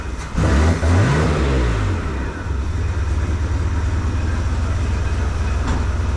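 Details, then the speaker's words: 1978 Reliant Scimitar SE6a, Essex V6 with carburettor and automatic: after giving the throttle stop a half turn to raise the idle, the engine blips then settles into a low, fairly even but slightly lumpy idle, still on the low side. "See if we can bring the idle up a wee bit and see if that helps it."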